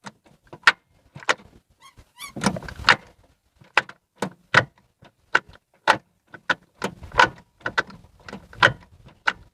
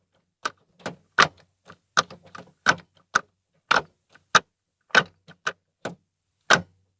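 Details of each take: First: Ford Fiesta Zetec Rocam manual, microphone beside the gearbox: sharp metallic crack-crack bursts with each gear engagement, worst in second, over a quiet engine, gearbox oil slightly low; gear shift linkage clunk. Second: Ford Fiesta Zetec Rocam manual after repair, microphone in the same place, cover off: crisp separate clicks through the gates with no creak or grinding; gear shifting back to normal after repair.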